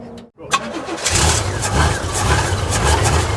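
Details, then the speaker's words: 1995 12-valve P-pump Cummins diesel from a junkyard, being built toward 600 hp, after a chilly night: brief cranking, then it catches and settles into a steady diesel clatter. A normal cold start. "there it is yeah keep it keep it running it's probably just cold it was kind of cold last night"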